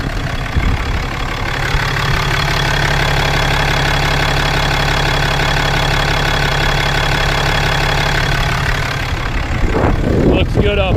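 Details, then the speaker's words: 2018 Cummins 6.7 diesel right after restart following fuel filter change (manual warns may run rough until air purged): started right up, steady even idle, clean rhythm, no misses or knocks. "so so far so good seems to be running relatively smooth as of right now"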